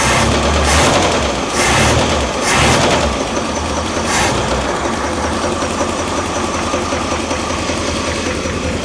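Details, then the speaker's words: Old Ford 260 V8 idling roughly with a fast, uneven light tapping over it; owner suspects lifters not oiling well, to be replaced; accelerator pump also leaking from stripped housing. "Other than that, so if you can hear that tap."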